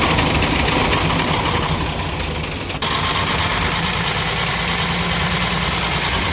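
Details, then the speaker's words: UD CK450 truck, Nissan PF6 six-cylinder diesel, idling with a lumpy, uneven beat. The No. 5 injection pump plunger delivers no diesel, so one cylinder is dead, causing misfire, power loss and stalling under load. "ये वाली जो है 5 नंबर जो इसका प्लंजर है, इस तरफ से डीज़ल नहीं आ रहा। तो जब 5 नंबर प्लंजर की तरफ से डीज़ल नहीं आएगा तो आप समझ जाएं जो ये 6 सिलेंडर इंजन है, 6 सिलेंडर में से एक सिलेंडर काम नहीं कर रहा, 5 सिलेंडर काम कर रहे हैं।"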